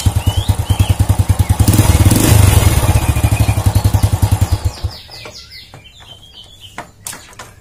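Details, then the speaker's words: Old Honda Supra motorcycle after repairing the clutch outer that was loose because its rivets didn't fit the holes: raised revs give even firing pulses with no knock or clatter, then drop away cleanly; normal revving, fixed. "Nah kalau penyakitnya Ini udah sembuh alhamdulillahirobbilalamin penyakitnya sembuh dan penyebabnya yaitu di bagian mangkok kopling yang oblak karena paku keling nya itu nggak sopan sama lubang mangkok kopling nya"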